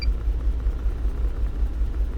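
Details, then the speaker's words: 2008 GMC Yukon 5.3 V8 before repair: misfire codes, check engine light, limited to 20-30 km/h; blown injector fuse cutting feed; deep lumpy rumble stumbling unevenly as cylinders drop out. "el cliente no llamó que comenzó a cascabeles ar su motor entonces tiene un fallo total puede ser que tiene el me fire todos los códigos que nos avientan nose"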